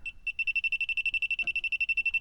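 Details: Car A/C leak hunt, electronic refrigerant sniffer held low near the expansion valve/evaporator area: rapid high-pitched beeping about ten per second without gaps, detecting refrigerant; leak at expansion valve or evaporator.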